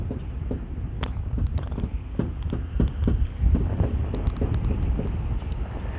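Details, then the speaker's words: Nissan 350Z exhaust, loose after dropping on pavement: uneven light metallic taps over a low rumble as the pipe knocks against its mounting. "I don't know if you can hear that tapping but that is loose now"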